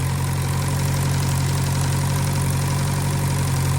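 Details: 1956 French-built Massey Harris Pony 812 tractor, Simca 9 gasoline engine, after fuel pump rebuild: steady low idle with even pulse around four beats a second, no misses or knocks; running smoothly.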